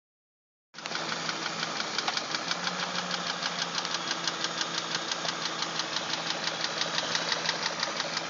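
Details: BMW 740i petrol engine at idle with a steady, sharp ticking, about three light ticks a second, over a low hum.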